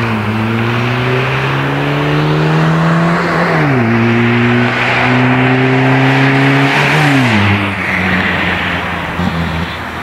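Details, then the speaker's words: Renault 11 with freed-up Weber 32 DRT carburetor, engine unused 13 years, about 2000 km since, owner suspects stuck rings causing hard hot restarts: drive-by acceleration pulling cleanly through gears, pitch climbing and dropping at shifts, no hesitation; healthy. "Bon, comme tu peux voir, elle a toujours la pêche. Elle a de la pêche."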